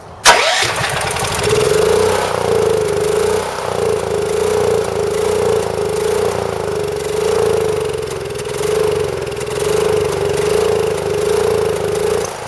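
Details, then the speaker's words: Champion Power Equipment generator (6,000 W running, 7,000 W peak), sat about 2 years, new battery. It fires on two spurts of carb cleaner but won't stay running, giving a hunting, surging note. Fuel starvation from a stuck carburetor float. "so obviously when you give it uh some carb cleaner it starts won't stay running but it will start"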